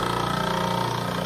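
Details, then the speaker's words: Old 1980 Paasche airbrush compressor, long used, overheats quickly: loud, fast, steady pulsing clatter over a constant hum; noisy and irritating, cause unknown. "The noise, listen to this old one. I've had to put up with this for a long time."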